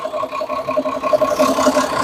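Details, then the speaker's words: Perkins 6-cylinder diesel in homemade RV on 1966 GMC bus chassis, just restarted after about 10 years sitting, oil pressure over 40: even idle clatter, steady speed, no misses, knocks or hunting; healthy. "oh man it sounds good too that took a little while took a little while"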